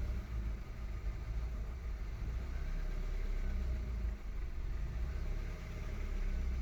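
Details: 2013 VW Golf Mk7 1.4 at idle with random/multiple-cylinder misfire codes P0300, P0301, P0302 that do not return after clearing; slight oil smell after long drives, cause unknown: uneven, lumpy beat with occasional stumbles and dips.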